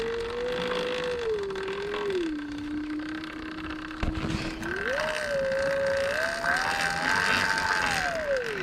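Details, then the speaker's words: Sur-Ron electric bike: motor whine rising and falling with speed under a coarse rattling, raggedy sound following wheel speed; chain hit the tire, motor fine, noise from the drive chain; owner would prefer a belt drive. "the motor sounds pretty good. It's definitely the chain making all that damn noise."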